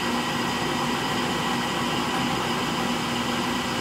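Steady whirring spin with a rough, gritty rumble and a faint hum underneath, even throughout; worn drive motor bearings.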